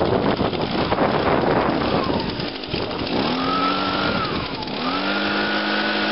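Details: Echo PB 251 two-stroke after fuel line replacement, choked and primed: catches on the first pull, stumbles, then settles into a steady buzzing idle and revs cleanly.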